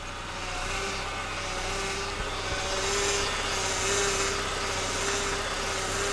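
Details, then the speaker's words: Honda, engine running, steering wheel being turned: steady mid-pitched whine with a recurring swell; power steering pump whine, owner replacing the belts to fix it. "Now I’ll demonstrate the sound to you. Now my engine is running at the moment when I start to scroll the steering wheel"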